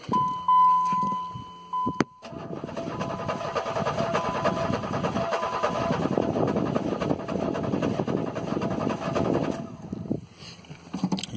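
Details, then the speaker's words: Relative compression test with the number one spark plug removed and disconnected, throttle to the floor: starter cranks with a lopsided, lumpy rhythm, one beat weaker each turn; uneven cranking from a cylinder with no compression. "hear hopefully how uneven that was that usually indicates serious engine damage either the valves are burned piston rings on ceiling or head gasket problem"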